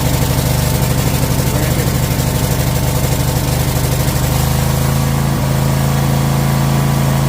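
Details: Troy-Bilt Mustang XP zero-turn mower engine, previously stuck on high idle, started on choke after throttle adjustment: smooth, even steady drone settling to a slightly lower stable speed halfway through; normal running.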